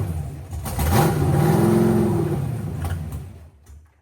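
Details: Freshly built 40+ year-old V8, to be run on nitrous, fires and revs, with a tone sweeping upward then holding as revs climb; source unclear, maybe exhaust; bearings possibly built with extra clearance.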